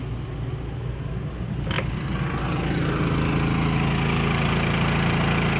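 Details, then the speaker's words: Champion 3100 peak dual-fuel inverter generator in economy mode, powering a travel trailer via 30 amp plug with the air conditioner compressor just kicked on. Steady drone builds slightly in loudness and pitch as load comes on, then holds evenly; running healthy under load. "Generator's still running. Let's see if we can put the microwave on."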